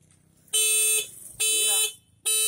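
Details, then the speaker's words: Homemade cheap motorcycle anti-theft alarm tested by switching on the ignition key; three loud, piercing steady tone bursts about half a second each with short gaps; alarm trips on ignition as intended. "Jadi ini seperti ini ya. Jadi kalau ini kita hidupkan langsung dia bunyi alarm."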